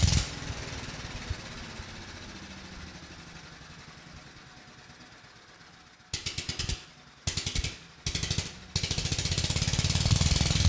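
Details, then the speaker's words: 1993 Little Wonder 5hp push leaf blower, Briggs & Stratton flathead (model 135212-1216-E1), found with low compression, now 60 psi; first start without carburetor or exhaust fitted, fires then runs fast, steady and healthy. "And this engine, it's actually running and sounding quite well."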